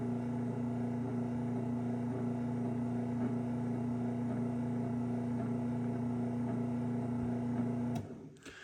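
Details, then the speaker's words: 2007 LiftMaster 3585P Elite 3/4 hp belt-drive garage door opener, dual capacitor, board dated 0607: steady low motor hum and even drive whir, only faint top bushing rub from ungreased bushing, stops cleanly; very quiet, healthy. "All you can hear is a little tiny bit of top bushing noise because I didn't pull this one apart and grease it. But as you can hear, this thing is quiet."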